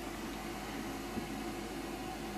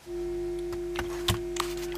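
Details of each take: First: Hand-wired transistor audio amplifier with its 50k volume control turned up to maximum: only a steady, even hiss with no hum underneath, normal low-level noise from the two BC547 input transistors. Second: Transistor audio amplifier with high-impedance input, only a 1 µF coupling capacitor between stages and no filter, touched with a finger: steady low buzzing mains hum (50/60 Hz) with handling clicks, picked up through the open input.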